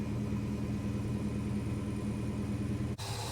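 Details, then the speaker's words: Holden HK six, cold start after plug gaps adjusted and timing played with: fires up readily with coil buzz, steady even idle rumble without stumbles, then cuts off; normal idle, much improved, though mixture screws still suspected too far out. "boom sprung to life God you need that coil buzzing that's heaps better heaps better"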